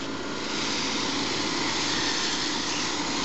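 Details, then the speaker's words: Central air-conditioning outdoor condenser on a 102°F day, right after spraying the condenser coil with water: steady even fan and compressor roar, no labouring; compressor quieted markedly as previously very high head pressure dropped. "ooh the compressor quieted down a lot wow that really quieted it down"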